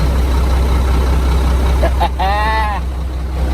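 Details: 1997 Mack RD600 diesel cement truck from auction, first start after charging dead batteries: deep steady diesel rumble with an even beat, no knocks or misses; engine runs normally.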